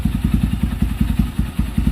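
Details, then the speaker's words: Kawasaki Barako 175 with all bearings and a new connecting rod: a steady single-cylinder idle of about ten beats a second with no misses or hiss. A holed, hissing carburetor rubber manifold that caused misfiring is being replaced. "Palit lahat ng bearing yan eh. Bago rin connecting rod yan."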